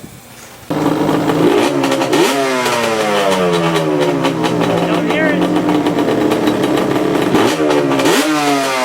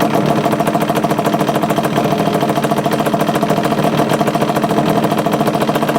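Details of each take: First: 2002 Yamaha Banshee two-stroke after kickstart rebuild: starts cleanly, revs rise and fall smoothly in crisp quick blips with no misfire or rattle; runs healthy. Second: 2002 Yamaha Banshee two-stroke idling before a kickstart rebuild: a fast, uneven metallic chatter rides over the exhaust note, from a worn, loose kickstart mechanism needing replacement.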